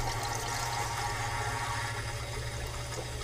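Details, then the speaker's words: Bradford White water heater being drained, about 30 minutes in; inlet water valve opened back and forth to stir the tank bottom: steady rushing surge with a low churning rumble as sediment is flushed out. "The thing is that you want to be able to shake as many sediment in the bottom of the water tank as possible to flush that out, to improve the efficiency of your water heater."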